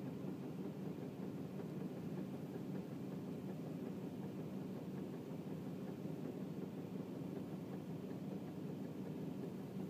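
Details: 2008 Tacoma just after a cold start: steady low engine drone with faint, uneven tapping underneath, occurring only when it's cold outside; owner suspects piston slap.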